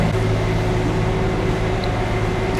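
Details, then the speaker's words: Diesel generator on a Dynamax Europa 34SS Super C motorhome, run mid-winter in a storage unit, heard from the generator side of the coach: steady low hum with a constant fan drone and even tone, no surging or knocking. Running normally. "It's a little more noisy on this side with the generator."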